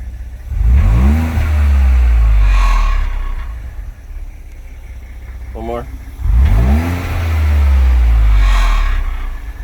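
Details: 2021 Ford Edge ST, 9,722 miles: engine revs up twice with a loose, uneven rattle over the pull, clearest as revs climb; dealer cannot identify it, software update helped only once; source unknown.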